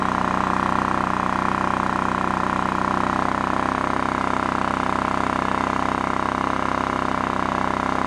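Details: Honda EX650 small generator from a scrapyard, started on choke: a steady, even drone at constant speed with a smooth, regular beat and no surging or hunting; it runs cleanly.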